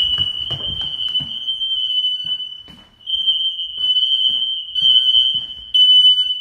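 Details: Newly installed smoke alarms under full-house inspection test, heard from multiple rooms including basement and bedroom: steady, piercing high-pitched continuous tone with brief dips; alarms sounding normally.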